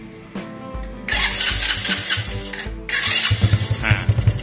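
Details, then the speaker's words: RXF 50 mini trail bike that wouldn't start due to a drained battery, jump-started from another battery: starter whirrs briefly, engine catches with uneven pops and settles into a rising, lumpy idle; clean start. "nyala nah ini kalau sudah nyala seperti ini bikin kosan dulu jangan sampai mati gasnya ton tahan"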